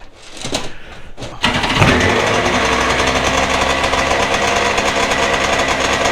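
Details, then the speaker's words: Two-stroke premix jon boat outboard, sat three years, carbs rebuilt, about 38 °F, after earlier running away flooded: catches and holds a fast, buzzy idle that stays high. Owner suspects the low/throttle adjustment is set too high. "I got a adjustment over here to see if maybe I can back off a little bit on that throttle make sure it's not pulling it but it's definitely the the low might be a little bit High"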